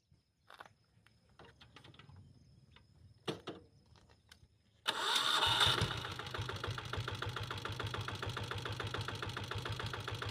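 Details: 2000-model Taurus diesel motorcycle, electric self-start: quiet handling noises, then a short crank that catches at once into an even, steady thumping idle. The self-starter works fine.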